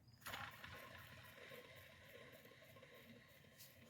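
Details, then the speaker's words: Alternator just removed from a Mercury Mountaineer with a charging complaint, a relatively new aftermarket unit, shaft spun by hand: faint, dry rasping rattle. Rough when spun; a tired bearing is the likely culprit. "doesn't sound too happy and this thing is not that old it looks relatively new"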